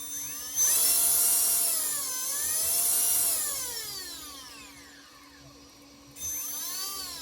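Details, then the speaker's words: Castle 1650 brushless motor and ESC on custom 8S Infraction V2 RC car, after replacing suspect 8mm connectors (losing signal) with Poseidon bullets: clean high whine sweeping smoothly with throttle, no cutouts or stutter; normal run. "Everything sounds good so far. I'll be damned."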